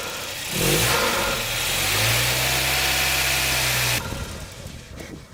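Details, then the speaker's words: Volvo 940 drift project, first start after fitting new 3-inch MAF with old turbo pipe squeezed on, mount cable-tied and air filter fitted: engine catches, surges unevenly about three seconds, then cuts out abruptly, won't hold idle; rough running, cause unknown. "And we've killed it. Okay, what's going on there? I mean, that should be working. I mean, it's running. It's just..."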